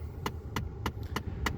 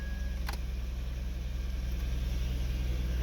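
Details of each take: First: 2011 Ford F-150 blend door actuator clicking from behind the dash, sharp and even about every 0.3 s with temperature set fully cold; its potentiometer cannot reach the end limit; fixed by replacing the actuator. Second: 2011 Ford F150 at idle with the AC set to full cold after replacing the blend door actuator: steady blower hiss, cold air, and none of the dash clicking the old actuator made at full cold.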